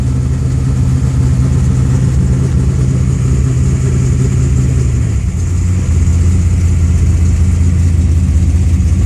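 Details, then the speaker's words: Car with newly installed FAST fuel injection system: low uneven idle loping and sagging, ready to die; flooding out, wideband O2 reading about 10.5 air-fuel, far too rich, especially when throttle touched. "now it sounds like it's gonna quit on me because it's flooding"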